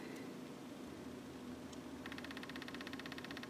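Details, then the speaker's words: 1999 Oldsmobile 88 at steady idle with an EVAP small leak and rough running; rapid, even sharp clicking starts halfway through as the purge solenoid cycles normally during a scan-tool bidirectional EVAP test. "Okay, we hear the purge solenoid clicking away. Cool."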